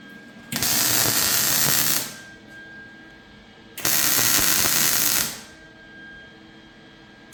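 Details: MIG welding a c-notch on a chassis after a sputtering gas problem was sorted: two steady frying-bacon bursts of about 1.5 seconds each, even and uninterrupted; gas and arc sound right.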